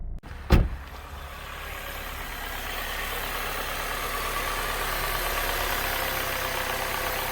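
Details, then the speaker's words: Saab 9-3 petrol engine just started after ignition coil replacement for misfire codes and flashing Check Engine; short thump as it catches, then smooth even idle. Check Engine light went out and the heavy rattling heard before is gone. Normal idle. "i nie słychać takiego mega terkotania jak wcześniej"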